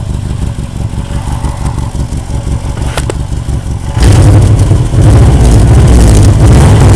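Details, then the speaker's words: Engine idling with a deep puffing chuff about four times a second from an exhaust leak at a joint, caused by hitting snowbanks after normal bolts were used instead of the spring bolts. "Yep, that's my exhaust leak right there. Pretty bad from hitting on those snowbanks there."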